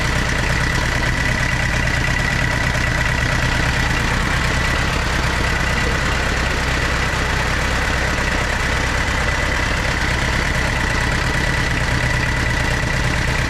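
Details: Tata Sierra/Estate indirect-injection turbo diesel, idling in the workshop after a cold start following body restoration: a steady, even clatter with a constant low rumble and no misses or hunting; running normally.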